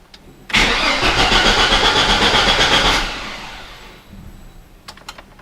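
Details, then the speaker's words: Chevrolet S10/Blazer 4.3 Vortec V6 after oil pan gasket replacement, starter turned briefly to circulate oil: about two and a half seconds of even cranking at roughly four beats a second, no firing; starter turns normally. "OK now I'm going to turn the starter and let's see if the starter motor turns right OK the starter motor turned right"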